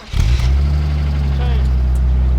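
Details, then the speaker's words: BMW Z3 2.8-litre inline-six, manual, about 90k miles: the initial tick, put down to it having had no oil, went away right away; smooth, even six-cylinder drone pulling under throttle, no ticking; normal running. "Yo, that tick went right away. Well, it had no oil. Sounds good."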